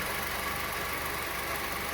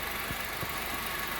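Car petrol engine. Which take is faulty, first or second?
second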